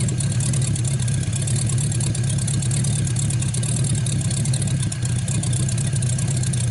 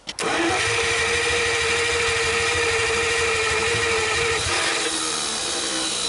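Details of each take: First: 1949 Buick straight-eight, first start in years, restarted after cooling down and refuelling after an earlier hard start: deep, steady rumble with even firing, no misses, knocks or ticks; runs really good. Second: 1949 Buick straight-8, first start in years, with distributor cap and rotor from a 1950 parts car and gas fed to the carburetor, accelerator pump working; steady starter whir with an even chug, cranks but won't start.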